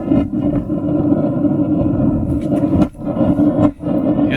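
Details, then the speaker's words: RV water heater burner: steady roaring flame with uneven woofing dips and sputters; too much combustion air at the air shutter, flame blue with some orange causing soot, fixed by adjusting the air-gas mixer screw. "if you hear the flame for the water heater making this kind of a sputtering sound here I'll kind of show you what ours is doing here"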